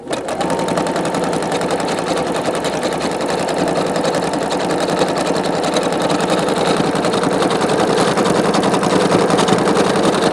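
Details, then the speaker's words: Singer Quantum Stylist 9960 sewing machine, size 14 topstitch needle, metallic thread: fast even stitching about three to four strokes a second, no knocks or grinding, slight typical Singer bobbin-case looseness sound; normal running. "Now this machine is a smooth running machine. It's a very smooth running machine."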